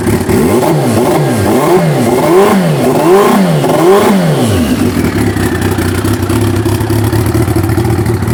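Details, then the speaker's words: Suzuki Hayabusa with newly installed turbo, needing more tuning: engine blipped repeatedly about once a second then idles; pulls seem flat midway up the revs, suspected fuel starvation, fuel pressure unchecked, not confirmed. "I feel like a little bit of fuel starvation about midway up there."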